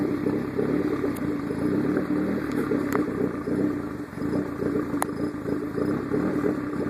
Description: what it sounds like when you need to RMA the hydra for the diode overheating issue. runs great for 10-15 min, gets hot and this happens.